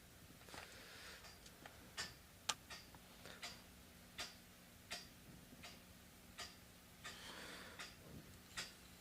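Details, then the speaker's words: Banging steam pipes in a room: sharp metallic bangs and ticks about once a second; one pipe pitched the wrong way traps condensate water that the returning steam pushes, causing water hammer. "think I don't know if you can hear the banging steam p pipes it drives me nuts it's only one pipe that is like that cuz it's pitched in the wrong direction"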